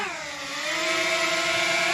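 Clean, steady rotor buzz that dips and then rises smoothly with throttle, no rattle or scrape; motors and props sound healthy.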